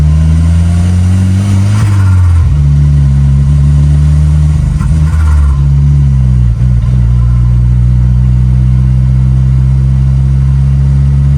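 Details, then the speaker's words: Turbo-converted Volvo 245 with M47 manual gearbox, first drive, shifting up toward 5th: low droning hum in gear that shifts pitch with road speed and changes between gears; bad M47 gearbox noise, cause not confirmed. "Right there. That's what a bad M47 sounds like, so that's neat."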